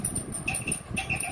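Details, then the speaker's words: Mondial electric fan before disassembly: rhythmic high chirping squeak about two a second over a soft thumping hum; owner suspects a binding or bad bearing. "Ele começou a fazer um barulho, tipo que tivesse agarrando ou problema no rolamento dele, entendeu? Aí fica um barulho chato."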